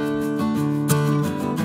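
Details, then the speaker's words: Polytron powered speaker that cut out, after resoldering large capacitors and transformer pins: guitar music plays cleanly and steadily with no dropouts or stutter; sound back to normal. "sepertinya suaranya sudah normal"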